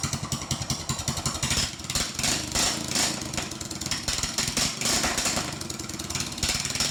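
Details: Troy-Bilt riding mower engine parked since 2014, first start with a jump box: small single-cylinder engine runs at a steady, fairly even beat with outdoor clatter, no misfire or knock; running fine.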